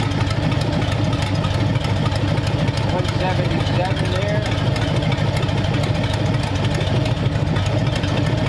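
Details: Hopped-up flathead engine for a 1932 roadster, about 10 minutes into first run, 70 lb oil pressure: steady, even low idle with a smooth, regular beat, no misses or knocks; normal idle.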